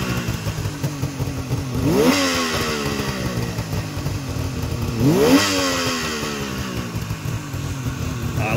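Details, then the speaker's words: 1973 Suzuki GT550 two-stroke, cold and just kick-started with choke off: a low idle that holds on its own, with two clean throttle blips rising and falling back smoothly and no misfire or stumble; normal. "that sound Suzukis were a little bit quieter I think than the uh the Kawasaki two strokes and probably the Yamaha"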